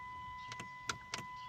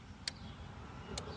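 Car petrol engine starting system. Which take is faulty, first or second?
first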